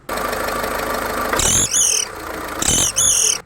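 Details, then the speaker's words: Second-hand car, engine running: sharp puffing "push push" whooshes each time the accelerator is blipped, the customer's complaint; exhaust gas leaking, which a dealer may dismiss as fixable with one nut. "அதே மாதிரி நீங்க ஒரு second car வாங்கும்போது கூட வந்து பாத்தீங்கன்னா, நீங்க accident கொடுக்கும்போதோ accident கொடுக்காத போதோ ஒரு புஸ் புஸ் சவுண்ட் வரலாம். அப்படி வந்ததுன்னா டீலர் சொல்லுவாரு, சார் ஒன்னும் இல்லை சார், எக்ஸாஸ்ட் கேஸ் லைட்டா லீக் ஆகுது, ஒரு நட்டு போட்டா சரியா போயிடும் அப்படின்பாரு."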